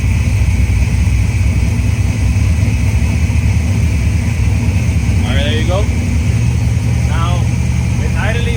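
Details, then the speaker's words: Forged 5.3 LS bored .020 over, Texas Speed stage 2 turbo cam, stock heads, TBSS manifold, GT45 turbo, Holley Terminator X EFI, first start warming up after tightening bolts for a small vacuum leak: deep steady even V8 idle, healthy. "to let it idle for a little bit so it gets warmed up a little bit of temperature and then we going to start playing with it but yeah there you go it's running all right"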